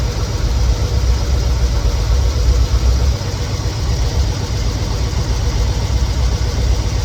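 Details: 1969 Chevelle SS big-block V8 that sat 37 years, now running rough: lumpy idle with an uneven pulse and slight surging. Pyrometer exhaust readings are inconsistent and one cylinder is suspected cold, not confirmed.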